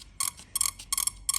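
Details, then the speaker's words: Swamp Thing ignition test: crisp, even spark bursts about three a second, sounds the same as the first; it works, cause unclear; normal ignition spark. "Now is it going to make a noise yeah it doesn't it does it sound no it sounds the same it sounds the same sounds"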